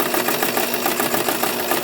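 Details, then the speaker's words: Pinball machine, after cleaning and repairs, powered up: fast steady chatter of relays and motor runs on without stopping, so the reset never completes; reset coil suspected of not getting power or being faulty. "see definitely not resetting so"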